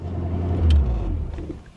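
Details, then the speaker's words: 1983 Mercury Cougar 5.0 V8, carbureted, long unused auction car; deep steady rumble holding a fast even idle that never settles, temperature 185°F; idle set too high. "That idle is definitely too high."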